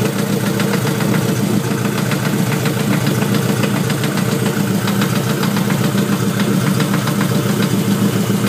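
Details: Honda with LS block and VTEC head: dull, fairly steady knock at roughly three to four per second at idle under the low rumble; owner thinks it sounds like rod knock but is unsure.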